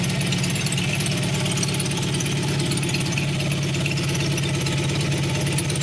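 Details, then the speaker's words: 1988 Honda VF750C Super Magna V4 idling just after a rare Marving custom exhaust was installed. It has a deep, even burble with no puffing or ticking leaks, a nice deep sound; the bike has not yet been ridden. "got a nice deep sound to it now. I have not had a chance to ride it yet."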